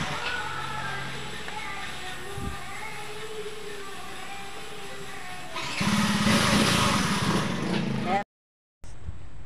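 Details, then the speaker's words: Yamaha Mio J scooter that only clicked "tek tek" when starting, after fitting a new starter motor (old one had chipped gear teeth): electric starter spins the engine, which fires quickly into a steady run. "kita tes tes tes guys ini sudah kita ganti dinamonya guys ya ini dinamo baru guys"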